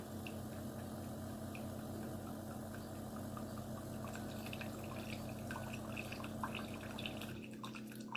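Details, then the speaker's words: Chefman single-serve K-cup coffee maker with 40oz reservoir; soft pump hum and trickling water runs about seven seconds then cuts out abruptly with water still in reservoir; brew cycle stopping early. "And that fast it shut off. But you see how much coffee I got? Yeah. Oh, that water's still in there."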